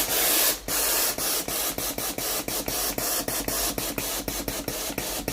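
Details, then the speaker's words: Philips GC9315 steam iron after steam valve coil replacement, warmed up and ready: pressing the steam button gives sharp valve clicks about twice a second, each with a puff of steam, following the presses; steam valve switching normally. "ถ้าเรากดปุ่มจ่ายไอน้ำนะครับเราจะได้ยินเสียงวาน้ำทำงานนะครับคือดังแต๊กแต๊ก๊กนะครับตามจังหวะนิ้วมือที่เรากดนะครับ"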